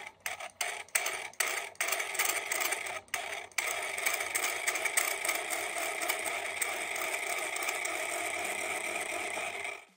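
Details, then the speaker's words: Floppy drive reading a dirty disk before cleaning: a harsh scraping grind as the drive cannot hold a constant speed; dirt is probably scratching the disk surface further. "that grinding noise is not good not only is the drive not able to spin the disc at a constant speed but that noise is probably also dirt further scratching the surface of the disc"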